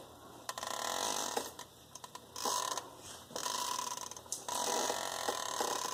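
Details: 2007 Jeep Grand Cherokee WK five-day-old replacement driveshaft giving dry ratcheting creaks in roughly one-second bursts as the shaft is worked; universal joints at both ends completely worn out.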